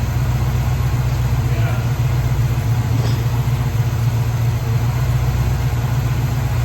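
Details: 1970 Pontiac Catalina V8 convertible, running again after an engine fire and rewiring: steady, even low rumble at normal idle with no knocks or misses; sounds healthy.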